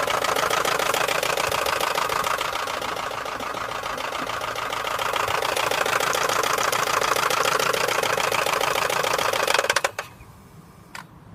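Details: 2003 VW Golf 4 1.6 petrol at idle: steady even knock about three and a half beats a second.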